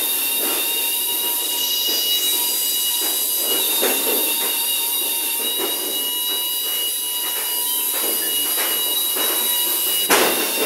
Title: "допоможіть" знайти причину писку в шафі ед9м-100